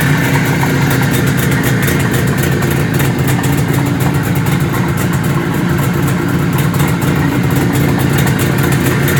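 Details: 1973 IZH Jupiter 3 350cc two-stroke motorcycle with 6-volt system, revived after years unused with points set, carb done and wiring repaired: crisp, even putter at a steady idle, firing regularly with no misses or knocks; normal idle.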